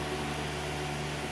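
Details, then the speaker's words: Vacuum pump pulling vacuum through the low side of a car A/C system (new port installed); valve cracked open and the pump's smooth, even hum doesn't change at all, no gurgle, so no leak under vacuum. "The pump didn't change one iota. So we do not have a leak under vacuum anyway."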